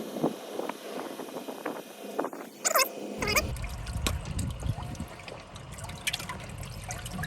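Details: GE washer after repair (pegs previously scraping bottom when overloaded, causing grinding): water trickling and splashing, light clicks, soft hum, no scraping or grinding; normal wash cycle.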